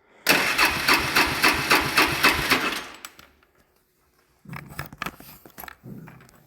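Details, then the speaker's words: Fourwheeler (ATV) cranks at about four starter pulses a second for a few seconds, then short cranking bursts, but never fires; earlier it started only on leftover carb cleaner in the air intake, after carburetor removal and reassembly. "OKAY, IT'S NOT WANTING TO START. THAT'S A BUMMER,"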